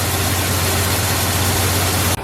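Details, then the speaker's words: 1971 Ford F250 shop truck V8, 51 years old, suspected stuck lifter, now starts and idles smoothly without the earlier noise, "purring like an arthritic kitten"; steady low hum, even beat, no knocks or misses; normal idle. "but uh this time she started up and no noise purring like an arthritic kitten who knows but she's good now"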